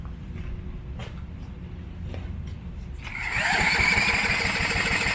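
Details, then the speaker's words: Coleman Contractor 4200 generator sitting for years, spun with a drill on the pulley: a few dull thumps while cranking, then runs rough briefly on fuel shot into the carburetor; fuel starvation, carburetor suspected. "Well, we actually want to shoot right in the carb. Let's try that. Gonna shoot it in the carb instead? Yeah. Okay. So just shot fuel straight into the car. She's a runner."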